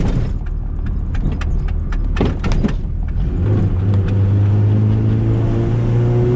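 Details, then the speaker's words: Turbo Honda EF hatch, dyno-tuned 350+ hp, street pull on bald tires: choppy shift noises then a strong clean drone climbing steadily in pitch under load, blow-off valve heard; healthy turbo engine pulling hard. "how'd that go hunter ready good run the blow-off valve sounds nice hell yeah this thing's a certified ripper"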